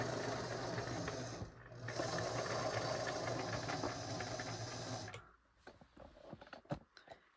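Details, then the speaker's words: Dirty thrifted Singer 533 sewing machine before cleaning and oiling: fast, dry clatter of about four knocks a second; knocking suspected at the feed dog; unlubricated mechanism needs oiling. "Sounds like there's something heavy over here. There sounds like something is knocking there, but that might be the feet dog."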